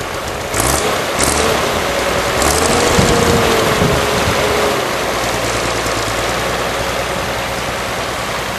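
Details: Unrestored 1955 Allis-Chalmers WD-45 diesel tractor on a warm summer day, already run earlier: steady low diesel chug with an even beat under wind noise, no knocks or misses; normal diesel running.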